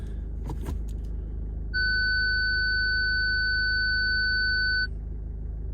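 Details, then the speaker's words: Ford Fiesta Titanium, engine idling, reverse selected after driving forward off the ramp: one steady high beep for about three seconds, a parking sensor fault warning; front and rear sensors not working, owner suspects a faulty sensor. "Still there. Front sensors are not working. Swing it around a little bit. No, not working. Back sensor's not working. Front sensor's not working."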